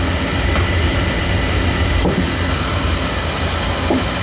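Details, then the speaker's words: Oil burner that runs about five minutes then shuts off and puffs black smoke, reset many times: heavy uneven low rumble that surges and flutters instead of a steady roar, burner choked with soot; to be taken apart, vacuumed and verticals cleaned. "I don't know how many times you hit the reset she's choked"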